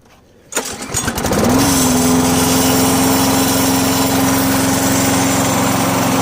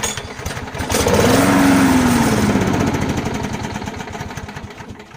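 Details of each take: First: 17-year-old lawn mower after repairs, including a new fuel filter, pre-filter and fuel shutoff valve: it catches after a couple of pulls and settles into a steady, even hum with no misses or surging. Normal running. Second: 17-year-old mower, just out of storage, with rigged-up supports, a shutoff valve and gasket trouble: the small engine catches and its rough chugging swells for a few seconds, then fades and dies; fires briefly but won't keep running.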